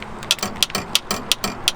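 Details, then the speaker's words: 2004 Honda Accord Coupe door: sharp plastic clicks in quick pairs about every third of a second as the handle is worked; the plastic connector linking the handle to the latch has broken again, so the door won't open. "so that little clicking is actually the piece that connects to the door handle so that you can open it with that lever. Doesn't work right now."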